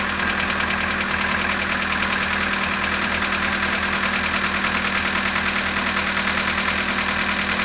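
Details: Polo Sedan engine at cold idle, -19°C, 18,967 km mileage: steady idle with a fairly regular light knock, about a hundred taps a minute, over the engine note.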